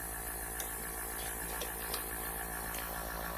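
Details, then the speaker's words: Airbrush compressor running quietly in the background: low, even motor hum with faint light ticks and no knocking or labouring; normal running. "I'm doing this with the air compressor running can you hear it"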